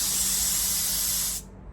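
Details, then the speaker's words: Peugeot 107 A/C being regassed with R134a DIY kit: gauge needle went off the scale, so excess refrigerant is bled out, giving a loud steady gas hiss that cuts off sharply; refrigerant venting from an overfilled system. "Okay, now you can see that there as I'm letting that gas out. We've got absolutely loads in there. So we must have really overfilled"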